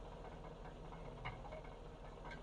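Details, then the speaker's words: 2007 Yukon Denali 6.2L LS V8 with a crate engine of a couple thousand miles, idling; mic under the vehicle. Repetitive knock like engine knock, loudest at the passenger-side catalytic converter, not the oil pan or flywheel. Suspected loose catalytic converter substrate rattle. "well at first it does sound like a knocking sound from the engine"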